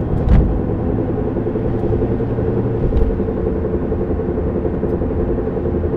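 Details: Humming noise while driving a 1993 Honda Civic EX coupe: a steady low hum and rumble under road noise at constant speed, described as a knock, scrape and scouring mixed together; owner suspects a bad wheel bearing, unconfirmed.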